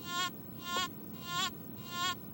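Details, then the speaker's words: Metal detector in all-metal mode, ground balance raised from a neutral baseline of about 74.8 to 85, coil lowered toward the ground: buzzy tone bursts about every 0.6 seconds. Ground balance set too positive, pushing noise into the ground. "you hear that we're pushing sound into the ground now when the coil goes down I'm getting noise that's a positive ground balance I'm pushing into the ground"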